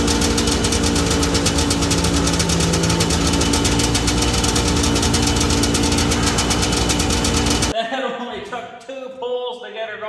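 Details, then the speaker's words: 1982 John Deere Liquifire 440 liquid-cooled two-cylinder snowmobile, barn find stored at least 20 years, started after carb work with choke on: loud, fast two-stroke crackle on both cylinders with heavy shaking, then drops off; runs normally. "Looks like the Liquifire was on fire, but she's a runner."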